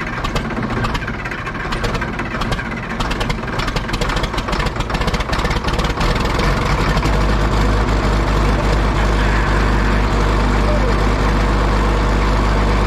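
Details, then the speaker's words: Caterpillar 977 track loader diesel, sat 12+ years, with air entering the fuel system (primer plunger O-rings suspected): catches after more cranking and settles into an even, steady cold idle without knocks or misses. "it popped off with a little bit more cranking it sounds good it's sitting there idling nice"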